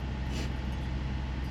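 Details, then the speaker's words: 2010 Buick Enclave CXL V6, cold at about 35° temperature, after a misfire caused by a vacuum leak hose was fixed: a steady, even idle drone, slightly fast while cold and settling normally, with no stumble or misses. "Ven y aquí está con como a 35 la temperatura está frío Por eso está así hay que darle hay que darle un tiempecito a lo que baja"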